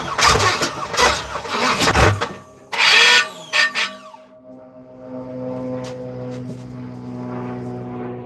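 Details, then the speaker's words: Third-gen (82–92) Camaro in neutral, starter fluid added: repeated cranking bursts nearly catch then fade, never runs; long crank, no start. Owner suspects starter needs shimming or flex plate replacement. "Almost turned over right there, almost. So we'll try this again."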